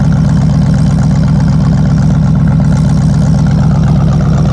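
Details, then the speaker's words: Rebuilt Oldsmobile 350 V8 in a Cadillac Seville at first start after distributor replacement and wiring correction: steady, even low rumble with regular firing and no knocks or misses; smooth, healthy idle. "Man, was I thrilled and nervous at the same time. But now listen and enjoy the sound of my rebuilt Olds 350 V8."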